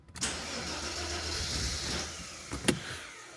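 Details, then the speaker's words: Mercedes SL320 unused for 3 years, during no-start/run diagnosis with everything refitted. Engine catches and stumbles unevenly after cranking with no steady idle. Hard misfire on start; ignition coils, though new-looking, suspected. "so misfiring like crazy interesting super interesting just try again it's misfiring guys what's going on"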